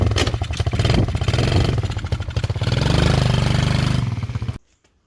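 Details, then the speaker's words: Chinese 110cc quad (ATV) with a messy wiring harness, first start after carb cleaner was sprayed into the air filter: the small single cranks, catches, revs and settles into a quick steady putter before shutting off; it runs properly. "there we go the quad runs"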